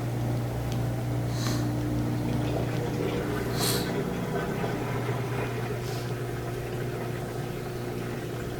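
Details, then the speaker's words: LG washing machine drain pump running on drain-and-spin after replacing the faulty pump that caused an OE (won't drain) error, typical around 8 years; steady low hum at even pitch with water swishing through; drain working normally after repair. "So I paused it, put it at drain spin, then started it. Yeah, that's great. I can hear the drain starting to spin."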